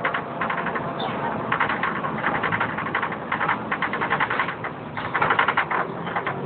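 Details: Wright Fusion bus 10028 (T211 VWU) in service, filmed 2009: irregular bursts of fast, sharp ticking over a quiet diesel hum; abnormal engine noise, and the uploader is unsure whether the cooling fan or something else is the cause.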